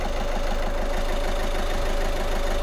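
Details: Audi A1 diesel after replacing the faulty injector: steady, even idle clatter with a constant note and no stumbles or misses. It idles smoothly with no fault codes, where it ran rough before.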